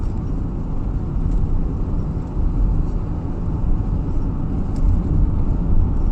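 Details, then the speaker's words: 2008 Toyota Kluger/Highlander driving over many bumps after front strut repair, camera near dashboard/left windscreen corner: low steady road rumble with no knocks or clunks; earlier knocking noise gone. "so we've been hitting heaps of bumps guys and we cannot hear any uh knocking noise"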